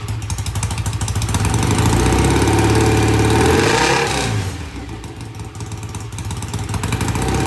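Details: BSA A65 twin motorcycle, cold start after cleaning the pilot jets in new Premier carburetors, carbs tickled: fires quickly, revs briefly, then settles to an even, steady twin idle with a regular beat; healthy, easy start.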